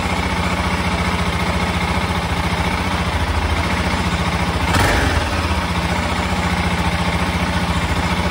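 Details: 1996 BMW F650 Funduro, just after carb strip-down and refit (cheap kit jets were wrong sizes), warming up: a steady single-cylinder idle thump with one short throttle blip that settles straight back. The idle holds even; runs much better.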